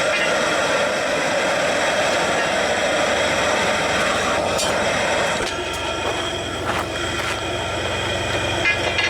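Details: Soule steam engine, first run in years on low steam from a small boiler, running poorly: uneven knocking about three per second over running clatter; loose lead in the crank counterweight beating around, owner may secure it with a screw.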